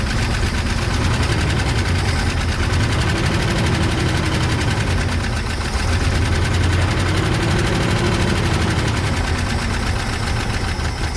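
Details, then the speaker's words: 1979 International Scout II on its first start after sitting 20+ years, bottle-fed fuel: loud, deep, uneven running with a rattly clatter over the rumble; the owner suspects an exhaust leak. "seems like the noise i'm hearing very well could be a um could be a exhaust leak"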